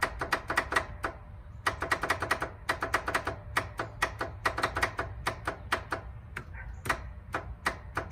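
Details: Abandoned 1993 Honda Harmony 1011 riding mower, 31 years old: rapid uneven bursts of dry clicks with no cranking; starter circuit chatters but won't turn over, owner then checks the fuse, cause unconfirmed.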